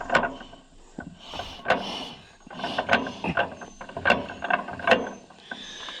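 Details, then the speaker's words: 1936 John Deere A auction tractor on its first revival attempt, timing thought slightly late and magneto not yet adjusted: slow uneven cranking with sharp clicks about twice a second and no firing; cranks but won't catch. "Friends, we might be stuck. I mean, I don't see any life out of it at all."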